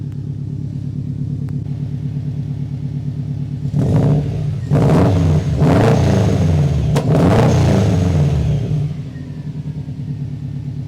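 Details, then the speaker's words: Subaru Impreza GD STi project car with dated V2 Accessport tune, not yet road-worthy: steady burbling idle then a few sharp revs rising and falling cleanly, no knocks or rattles; healthy revving. "But dang, she sounds good. Let me set you guys back down. We'll get like 1 or 2 revs"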